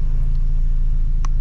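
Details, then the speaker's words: Toyota Corolla just after an engine oil change and transmission ATF change: it starts on one click and settles into a steady, even low idle rumble with no knocks or misses; the engine sounds healthy. "Yun oh, one click mga kaibigan. Swabe na"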